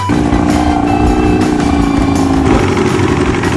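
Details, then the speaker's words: 63-year-old abandoned boat revived, outboard motor first run on the lake: loud steady drone with even beat, no misses or knocks while under way in gear; running smoothly, overheating unchecked. "It's running smoothly."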